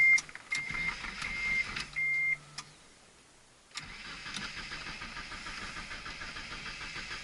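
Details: Car that sat with only a couple gallons of gas, after fresh fuel, new fuel filter, plugs and good battery, fuel pump working: warning beeps, then steady cranking that never catches; crank-no-start traced to the fuel injectors.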